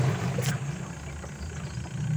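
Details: Sharp Gigawash Jr washing machine after gearcase replacement for noisy spin, water-filled test run: steady low hum from spinning tub, strong spin, no grinding, rattling or knocking, earlier noise gone; minor hose drip only. Normal spin.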